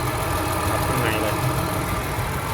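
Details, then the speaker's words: Honda Accord 3.0 that came in shaking with a flashing engine light and cylinder 1 and 5 faults, after new and cleaned injectors, injector filters and coolant pipes: even, low idle with no stumble; normal, no engine light. "เครื่องก็นิ่งแล้วนะครับผมเครื่องก็นิ่งปกติแล้วไม่สั่นแล้วครับ"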